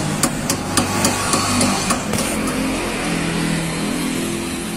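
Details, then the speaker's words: Renault Duster front suspension being rocked by hand: sharp, hollow knocks about three or four a second, then fading out; loose stabilizer bar link, noise gone once tightened. "muevela y compañero mire problema con la biela de barra estabilizadora está floja y golpea"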